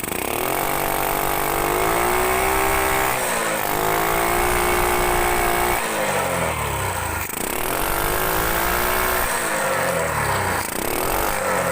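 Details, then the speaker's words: Grand motorcycle, throttle blipped about every three seconds: ragged, sputtery rise and fall with the carburetor spitting back; after a week of checks including a valve reseat, the cause was the exhaust itself. "Nah, penyebab daripada karburator ini nyembur adalah ternyata hanya dari knalpot. Lah, hanya dari knalpot ini sendiri ya, bro."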